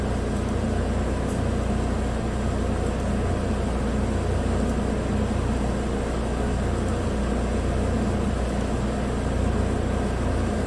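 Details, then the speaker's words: 2017 Chevrolet Equinox 2.4 AWD, used replacement engine (130,000 km) after PCV freeze-up blew rear main seal; briefly misfired (P0300, cyl 3/4 history) on first start, now steady even idle with no stumble: normal idle. "i said it's running smooth now cylinder 4 cylinder 3 history cylinder 4 history well let's clear it out because it's not misfiring now"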